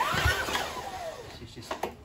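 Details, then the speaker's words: Homelite HL454HP mower with a Mountfield V35 150cc petrol engine, pulled after recoil repair and rope replacement. The recoil rope whirrs and clatters but the engine never fires. No start; a blocked carburetor is suspected and tested with carb spray. "so in order to determine whether this is an ignition or a fueling issue i'm just going to spray a bit of carb spray just in the carb there just give it a little taste and if that starts now then it's highly likely that the carb is blocked up"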